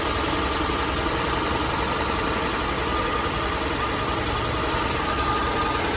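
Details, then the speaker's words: 1964 Chevrolet C20 long bed that sat 19 years, first run. The old V8 idles lumpy and uneven with a busy ticking clatter and sounds like a tractor, yet holds 30–40 psi oil pressure. Rough idle; noisy lifters suspected, not confirmed. "it doesn't sound the best sounds like a tractor but it's actually got really good oil pressure"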